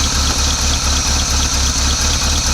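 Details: Engine of a 1986 Chevy C10 Silverado that sat abandoned for 15 years, runs after fixing a fuel leak at the carburetor: steady, even V8 idle, pulses near four a second, no knocks or misses; healthy.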